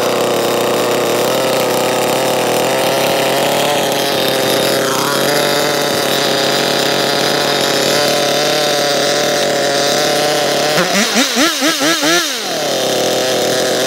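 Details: Chainsaw that would not start (dry spark plug), after cleaning and purging the carburetor with its adjustment screws untouched: steady, even two-stroke idle with crisp throttle blips, no stumbling; runs healthy.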